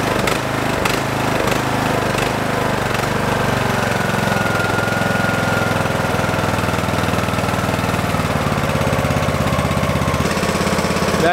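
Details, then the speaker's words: Craftsman lawn tractor, unused since 2017, after carburetor cleaning: steady, fairly even single-cylinder idle at lower speed with an occasional slight miss, which owner suspects may be a failing ignition coil; running much better. "running so much better actually the idle's down i'm impressed just a miss every now and then"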